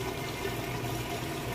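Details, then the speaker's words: Kenmore top-load washer draining after rinse in neutral drain mode before spin: steady low pump hum with a rushing gush of water, no grinding or rattle; drain pump working normally. "that water out nice and fast now I'm not gonna lift up the lid because it'll interrupt the neutral drain cycle because it goes into neutral mode without spinning drains water out then it kicks over into drive essentially and it starts spinning"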